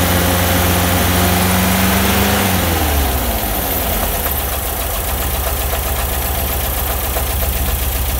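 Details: Bus engine revs drop back to a steady low idle with an even, fast pulsing underneath; abnormal idle noise, cause unclear.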